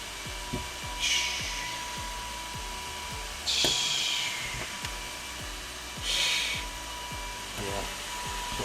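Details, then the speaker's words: Arrma Felony 6S RC car, Game Changer RC Renegade V2 low-profile fans on a separate switched battery; strong steady high-speed hiss with constant whine, handling ticks and rubbing. Fans running normally, a huge improvement over stock. "Huge difference right there. Oh my gosh, huge difference right there."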